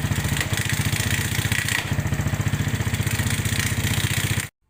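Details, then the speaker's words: Suzuki Smash New motorcycle: harsh, rapid clatter roughly four knocks a second following idle speed, from a clutch stud that loosened and came off striking the clutch area; reinstalling it restored normal sound. "Hari ini atau siang ini kita kedatangan Suzuki New Smash, dimana kondisinya seperti yang kita dengarkan tadi dari awal, bahwa suaranya kasarnya luar biasa."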